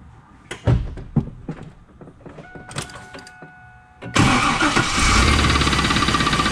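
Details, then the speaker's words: 2001 Pontiac Trans Am V8 knocking at fast idle after a cold start, with a steady knock under the rumble. Owner hopes it's piston slap but thinks it sounds like rod knock. "I'm still hoping that it's piston slap but it sure sounds like rod knocked"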